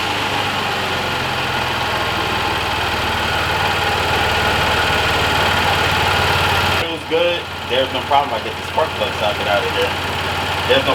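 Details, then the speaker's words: Chevy Suburban that had been misfiring and running rough, after work on the coil packs: a steady, even idle hum with no stumbles or skipped beats before it shuts off. Normal idle, no misfire. "It was running rough. It was putting, and you can tell it was a misfire. This time when I sat in it, and I didn't feel a misfire, so everything Gucci."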